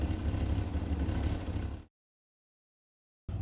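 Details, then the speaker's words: 1972 Rover P6 V8 at operating temperature, thermostat open, after winter warm-up: steady even low rumble, smooth firing, no knocks or misses; slight back-box exhaust leak noted earlier; normal warm idle. "we're up to temperature now that is usually where it sits when my thermostat opens and it runs lovely"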